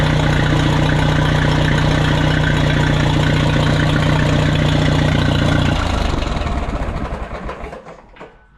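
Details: Minneapolis Moline 335 tractor after advancing the ignition timing slightly: steady, even firing about three beats a second with no miss or knock, then shut off and winding down; normal running.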